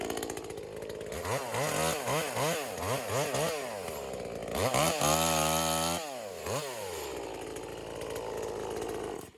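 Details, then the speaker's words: V-Modest 2511 top-handle chainsaw (Echo 2511 clone), cutting branches to warm up, clutch slightly whiny: revs in cutting bursts, blubbery and uneven at top speed; four-stroking from a rich high-speed jet. "All right, so it's definitely four-stroking a little bit."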